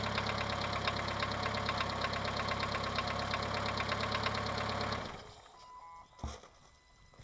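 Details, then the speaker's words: Mitsubishi 2.0 GDI 4G94 after EGR/intake cleaning and intake refitted: smooth idle with light regular ticking keeping time with the engine until shutoff; noisy hydraulic lifters, which this engine always has. "running okay now. It's just got the lifter ticking. Our engine has it all the time."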